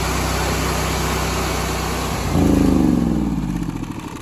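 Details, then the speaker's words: Honda GX630 after a rebuild with a new governor, freshly filled with oil and fuel, running unloaded at about 3750–3800 rpm: engine speed surges up and down as the governor hunts, typical for a new governor. "You hear that hunting? That's pretty typical when you put a new gover"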